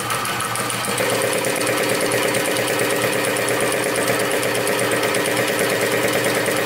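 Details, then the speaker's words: 2000 Cobra 50cc two-stroke racing mini dirt bike after fuel was poured down the carburetor: screams at steady high revs with a buzzy, even exhaust note, apparently at full throttle; runs flat out. "I don't know if you guys saw that oh I think she's going full throttle right there oh geez oh gosh that scared me"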